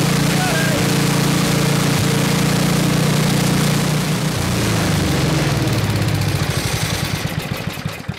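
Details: 1979 Toro 826 snowblower, 8 hp Briggs & Stratton, after carburetor cleaning: steady, even beat of about three firings a second without stumbling, then winds down; runs strong, but not idling properly, out of adjustment.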